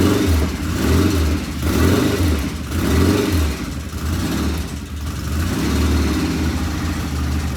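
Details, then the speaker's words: 1975 Norton motorcycle twin on first start, run to check oil flow; slow rhythmic swell about once a second with an occasional uneven beat; one tappet sounds loud and something occasionally not right, cause not yet found; irregular running. "One sounds loud, and then we have that occasional. I'm not sure what we have occasional, but something occasionally was not right."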